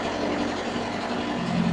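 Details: Refrigerated unit running on its diesel engine, which can also run on three-phase electric; box split into two compartments, C1 and C2. A steady, even diesel drone with constant low hum and no knocks or surges; normal running.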